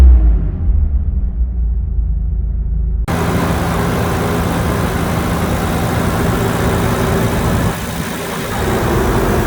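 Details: Nissan 300ZX Z32 twin-turbo manual, unused 17+ years, after new correct-spec spark plugs cured cylinder four misfire; revved after warm-up: smooth, even note dropping and picking up cleanly, no misses; normal.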